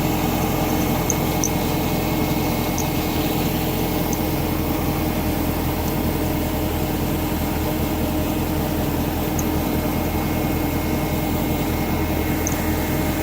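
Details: BMW E39 540i with M62TU B44 V8 idling evenly: a faint, steady high squeal from a belt or pulley, exact pulley unclear.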